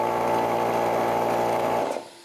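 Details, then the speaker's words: Old Harbor Freight air compressor that previously tried to start but wouldn't, test run after replacing the capacitor: motor catches at once and hums evenly about two seconds with no struggle, stall or smoke; normal start and run. "All right, it started, it ran, no smoke."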